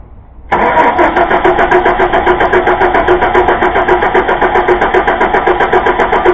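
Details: 2000 Chevy Blazer: steady fast starter cranking at about three to four beats per second, engine never catches; crank-no-start caused by a bad distributor cap.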